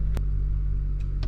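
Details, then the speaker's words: BMW 335i twin turbo, 143,000 miles, after fixing boost and vacuum leaks, check engine light still on: low, smooth, even idle rumble with no misses or surging, a few light background clicks; running much better. "This car got 143,000 miles on it. Still got to check engine light, but it's running a lot better."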